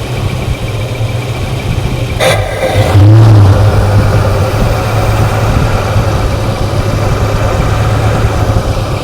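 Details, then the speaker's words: Ford Foxbody Mustang that sat for years, cold start with fuel pressure gauge and data logger connected; low uneven pulse, wandering beat, doesn't want to stay running; fuel pressure looks low, cause not yet confirmed. "Cold doesn't really want to stay running. Let's look at that fuel pressure."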